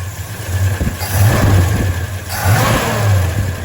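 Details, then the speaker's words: 1964 Dodge Dart GT with 5.9 Magnum V8, smoking problem traced to cylinder-head assembly, engine cold: deep rumble over two light revs with only faint top-end ticking, possibly from intake design; valvetrain quiet. "you know that really isn't much top end noise maybe it's gotten"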